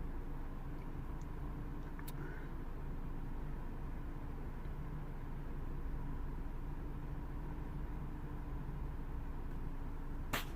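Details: Ford Focus 1.6 petrol after repair of a high, fluctuating, lean idle: quiet, low, even rumble with no hunting or surging and only a couple of stray clicks; idle settled, fuel trims dropping toward normal.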